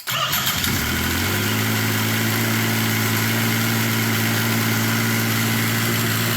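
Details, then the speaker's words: Yamaha triple-cylinder snowmobile engine swapped into a Polaris RZR XP, started with the key switch bypassed after teardown: it catches within a second and settles into a smooth, steady idle with no knocks or misses; normal start and idle. "hell yeah sounds good doesn't it sounds good"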